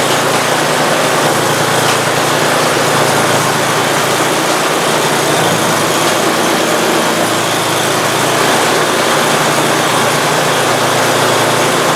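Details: Free Simplicity snowblower engine after an oil leak repair, freshly filled with oil and gas: steady, even small-engine drone with no misses, knocks or surging; normal running.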